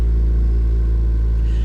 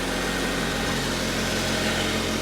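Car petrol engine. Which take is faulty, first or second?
first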